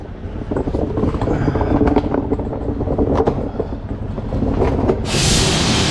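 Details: Truck trailer on road call, driver reports air loss in city driving; foot brake held: after a few clanks, loud steady hiss starts at about five seconds, air leaking at trailer service line, found disconnected at a loose wire-tied multi valve.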